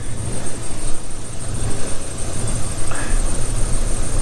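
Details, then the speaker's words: V8 truck with code P0300; loping idle with irregular stumbles and uneven low thumps plus puffing from a leaking exhaust manifold donut gasket, misfire from one dead ignition coil found with a spark tester. "and it's got a massive misfire so let uh let me show you [Music] hear that she sounds like [ __ ] boys"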